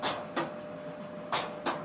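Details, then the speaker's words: Maytag Neptune dryer running: sharp rhythmic paired clicks about once a second over a quiet hum as the drum turns, something hitting at back and side; loose drum baffle screw striking cabinet. "hear that clicking so when i started to inspect the situation i can hear it's hitting back here on the side and here in a very rhythmic pattern so it's clearly the drums going around something's hitting"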